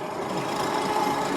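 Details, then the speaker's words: Super73 S2 e-bike riding after swapping to aftermarket front suspension forks: quieter with no fork rattle, but a steady scraping hiss with faint ringing from brakes rubbing, needing adjustment. "now i do need to adjust my brakes i can hear them but"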